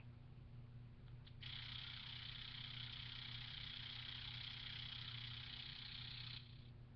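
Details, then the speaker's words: Astro A40 headset, about a year old, steady hiss-like buzz with faint low hum switching in for about five seconds then dropping away; headset cord to the MixAmp is causing the noise despite replugging and a firmware update. "the headset cord that goes from the headset to the mixamp is what is causing the noise"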